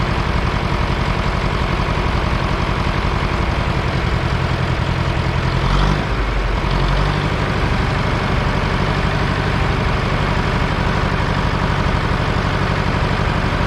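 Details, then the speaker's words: 1968 John Deere 500A diesel tractor (industrial 3020), parked over 10 years: heavy uneven clatter, mid-clip sag, revs wandering, no power, dies on its own; rough unstable running, diesel leaking at injectors, owner suspects brittle rubber boots. "just acting like it doesn't have any power just dyed on its own"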